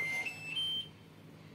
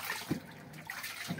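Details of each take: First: LG washing machine repeatedly plays three rising chimes, a pause, then three falling ones after Start is pressed, refusing to wash; the lid sensor fails even with a magnet, and the fix is bypassing the sensor on the board. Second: LG washing machine after repair of non-stop beeping error by bypassing the faulty lid-open sensor on the board: water running and splashing into the drum, a steady normal fill with no warning beeps.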